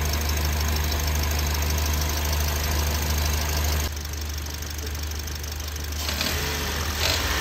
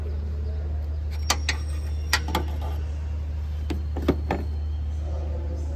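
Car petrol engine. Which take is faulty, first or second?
first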